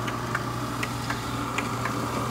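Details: Somerset dough roller (2020): steady motor hum with sharp, irregular ticks about every third of a second from inside, a new noise. Releasing the edge pressure only reduced it. Cause unknown; abnormal internal ticking.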